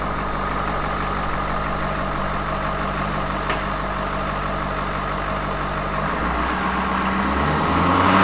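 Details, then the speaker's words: Ford F250 with 6.7 Powerstroke diesel, once thought seized: it restarted, but the drained oil was full of metal and an engine swap is planned. Deep, even diesel clatter at idle with no knocks or misses, sounding like new, then a smooth shutdown. "okay it sounds like a freaking spring like it sounds brand new like it rolled off the lot"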